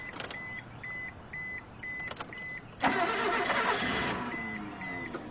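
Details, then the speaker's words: Mitsubishi Mirage that sat for years, after restoring spark and fuel pump: starter cranks with a few catches and a short burst of firing that dies at once, under a repeating chime; won't stay running, a relay is suspected. "dang it it's trying to start I think it might be a relay cuz it's firing but it won't stay running"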